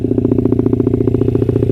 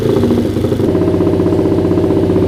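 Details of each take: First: Honda CRF50 after carburetor work: a quick, even single-cylinder idle with no stumbles, which the owner calls all right. It breaks up at high revs, and the owner is unsure whether the main jet needs more or less fuel. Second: Honda CRF50 single-cylinder after repeated carburetor work on an overflowing float bowl: a few quick throttle blips and slightly lumpy, uneven beat before cutting off; owner thinks idle mixture already rich, cause unconfirmed.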